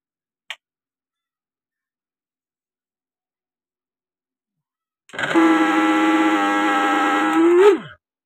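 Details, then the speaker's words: V-Guard mixer grinder before repair: motor runs up to a loud, harsh, steady buzzing whine for about three seconds then winds down; excessive noise from worn motor bush. "ಇದ್ರದ್ದು sound ಜಾಸ್ತಿ ಬರ್ತಾ ಉಂಟು, ಕರ್ಕಶವಾದ ಶಬ್ದ ಬರ್ತಾ ಉಂಟು. ಇದ್ರ ಒಳಗಡೆ bush ಹೋಗಿರುತ್ತೆ."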